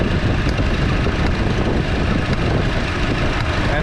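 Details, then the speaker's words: 2014 Chevy Cruze 1.4L turbo four-cylinder idling with a misfire on cylinder 4 (confirmed by scan tool misfire counts), worse in damp weather; rough uneven idle with sharp arcing snaps about once a second from the cylinder 4 ignition coil pack. "you can also when it's running you can kind of hear like an arcing sound or something snapping"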